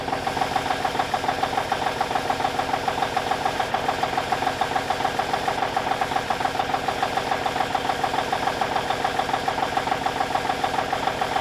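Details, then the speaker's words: 1989 Kenworth K100E with a Cummins Big CAM IV diesel idling while warming up after a -6 °C cold start: even clatter at about 207 beats a minute with no misses or knocks, a healthy idle. "Good old Big CAM IV. She's rolling, baby. A little smoky, but she's rolling."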